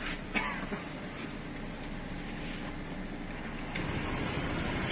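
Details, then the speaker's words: Honda PCX ABS scooter engine at 60,000 km, regularly given variator maintenance, idling with a steady even low hum and no rattle or whine from the variator; normal idle. "bakalım en ufak bir ses yok motor 60 bin kilometrede 60 bin kilometrede en ufak bir ses yok"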